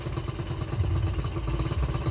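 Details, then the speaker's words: Honda CT70 single-cylinder after timing and valve adjustment, exhaust heard at idle: low, lumpy, uneven exhaust pulses; it runs but idles rough, jetting and air-fuel mixture screws suspected not right. "you can hear it in the exhaust it's not it's not idling smooth but it idles"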